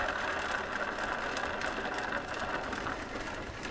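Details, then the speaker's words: 2005 Ski-Doo REV GTX rear suspension wheel spun by hand: dry, gritty rumble with faint ratcheting ticks; worn bearing with almost no grease left, to be replaced. "there's pretty much no grease left in that at all the other one isn't too bad"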